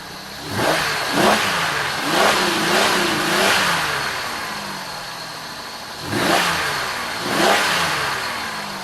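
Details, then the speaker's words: Oldsmobile Silhouette van, sat with dead battery, jump-started and running with alternator working; picks up cleanly on each throttle blip and returns to smooth, quiet idle, no knocks or misses. Normal engine revving. "That's pretty quiet, running pretty good. Let's rev her up and see what she sounds like."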